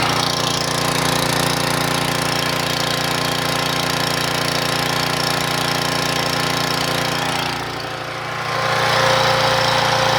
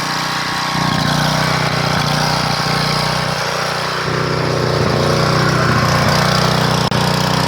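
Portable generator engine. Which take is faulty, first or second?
second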